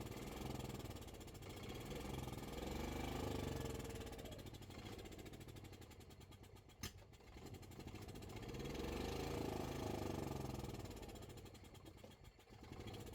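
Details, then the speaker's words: Gas-powered Club Car golf cart after no-crank no-start repair, battery connections cleaned, shifter white wire left disconnected at relay: steady single-cylinder thump about four beats a second, rising with throttle, no stalls on gear changes; runs normally. "she runs she drives she stops and she doesn't shut off when I switch gears"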